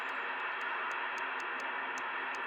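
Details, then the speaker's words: Amateur radio FT-4 receiver indoors on 2 m band FM, 12.5 kHz steps, no digital gateways active: constant harsh hiss with quick irregular digital-sounding ticks and chirps, signal lights fluctuating; interference. "now you can see all this noise and it sounds like a digital noise now there's no digital gateways on at the moment there's nothing here on the Amer band that is causing this kind of noise"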